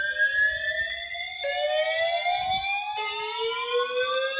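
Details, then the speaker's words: Building fire alarm evacuation whoop heard during the morning evacuation; a loud rising sweep of about 1.5 seconds climbs, drops back and repeats; described as scary and loud; the panel is possibly FCI and is heard beeping in trouble. "Just a little scary. It's kind of loud."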